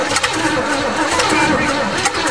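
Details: Cheviac engine being revived after hydrolock, with one cylinder having had water in it and some plugs still wet, on full choke after priming: a steady churning crank that never catches. It cranks but won't start.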